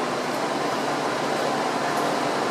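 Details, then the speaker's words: 1983 VW Rabbit GTI rebuilt engine with 288 race cams, on dyno loading to seat rings, engine 191°F, oil 192°F: steady airy whoosh of electric radiator fans, slowing gently as temperature drops; normal fan behaviour. "so you can hear the fan slowing down as the temperature drops it's kind of nice"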